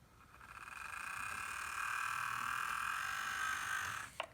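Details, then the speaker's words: Bachmann Rail Chief BNSF GP40-2 model locomotive running up to 40 on controller: steady rough high whine ending in click; drive sounds unhappy, cause unconfirmed. "It's just making a very weird noise. I'll show you what I mean. This is a Rail Chief train set, GP40-2 by the BNSF Railroad, and it doesn't sound happy."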